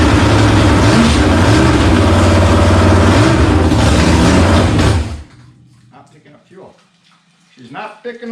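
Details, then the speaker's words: 1954 Henry J gasser project's 327 V8 on an engine stand runs strong about five seconds, then fades and dies; not picking up fuel, owner suspects a bad fuel pump. "for whatever reason we're not picking up fuel I'm thinking maybe my fuel pump might not be any good"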